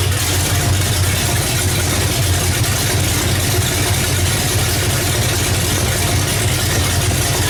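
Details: Oldsmobile Cutlass after an engine swap, with the coil wired directly off the battery and run only briefly with no antifreeze: rough, choppy, stumbling idle with irregular pulses; it still seems to be missing, and the plug wires are suspected.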